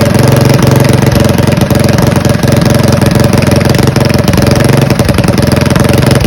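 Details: Mega Moto 212 mini bike, modified Predator Hemi engine with Mikuni carburetor, after idle tuning: even single-cylinder thump about four pulses per second, steady and smooth with no misses; healthy idle.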